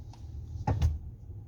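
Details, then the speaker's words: Hyundai Santa Fe, steering turned to full lock in either direction: single dull click then thud each time; suspected inside the steering rack. "Tá fazendo um estalo toda vez que estece o volante. Toda vez que estece o volante pro final de um jogo, tanto para a direita quanto para a esquerda, ele tá fazendo um barulho, né, um estalo."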